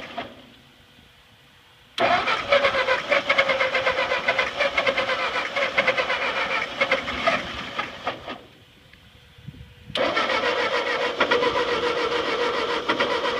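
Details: Ford 8N tractor that sat 4-5 years, carburetor drain bled until gas came out, choked: two long bursts of steady cranking, about four strokes a second, with no catch. Turns over but won't fire; fuel drip present.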